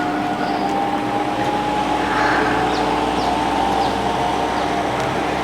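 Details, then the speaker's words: Table fan after capacitor replacement, running at full speed with a steady even whir and no struggling drone. The earlier humming was caused by the faulty capacitor; normal running. "They on ആക്കുകയാണേ കണ്ടോ fan റെഡിയായി നല്ല സ്പീഡിൽ ദാ നമ്മുടെ fan കറങ്ങിക്കൊണ്ടിരിക്കുന്നു"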